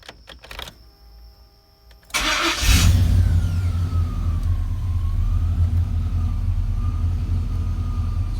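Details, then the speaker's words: OBS 4x4 truck with LS V8 swap, after diagnosis found no transmission pressure; cranks briefly, fires, flares, settles into smooth steady V8 idle with good oil pressure; normal start and idle. "so i'll just start it up for you guys and show you that everything works"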